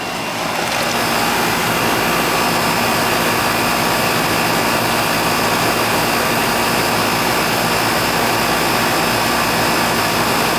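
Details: Older outdoor AC condenser after the failed capacitor was replaced; subcooling 12, possibly slightly overcharged: loud steady whoosh of the condenser fan with an even hum underneath, no clicking or stalling; normal condenser operation.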